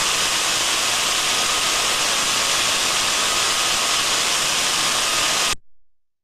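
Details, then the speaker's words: Contact-probe ultrasound on a reduction gearbox: a steady, smooth, uniform hiss with no knocks or surges, so the gearbox is running healthily. "we can hear from that that it's smooth and uniform okay and that's what we want to hear"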